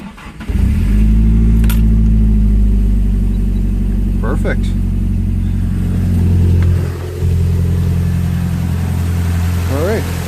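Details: Nissan 240SX S13 SR20DET turbo after oil change and primed cranking, coil packs plugged back in: cranks and catches in half a second, settles to a steady idle, revs cleanly and drops back evenly; healthy start, no rattles.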